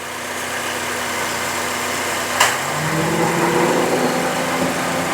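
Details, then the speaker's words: 2011 Honda CR-V after AC clutch replacement (worn, grooved drive plate; suspected excessive air gap stopping AC when hot), shop about 20 °C: steady idle, sharp click as clutch engages, engine settles smoothly; compressor cycling normally. "so there it is back together and running pressure is cycling on and off normally now"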